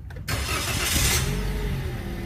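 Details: Car engine starting and settling into a steady, even idle with no knocks or misses; oil pressure warning light goes off once running, showing normal oil pressure; a clean, healthy start.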